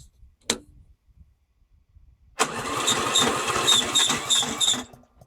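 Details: Briggs & Stratton Yard King mower with key start, after carburetor cleaning and rebuild and new battery wiring; short blip then about 2.5 seconds of labored cranking near three turns a second that never catches. Owner suspects the battery is done.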